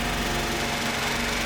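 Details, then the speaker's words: 2002 Buick LeSabre just started after sitting three years on 2019 gas: uneven, buzzy, lumpy running with a ragged beat, sounding like a go-kart; check engine lights on, owner suspects a broken injector wire, cause unconfirmed. "i bet that smells horrible baby this thing is alive it is alive it does smell and sound like a go-kart"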